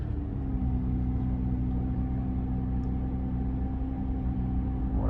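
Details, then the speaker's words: 2004 Toyota Camry 3.0L 1MZ-FE V6 cold start with a brand new starter and new battery: a steady low idle hum with a faint even tone, no knocks or ticks, a smooth healthy cold idle. "amazing machine. Brand new starter. All good."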